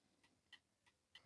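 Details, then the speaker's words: 1930s Garrard English mantel clock being serviced, running after a relative's stray wire was removed from the movement: quiet, evenly spaced ticks about three per second, tick and tock matched. In beat and running well. "okay let's remove the pendulum this time and certainly running well"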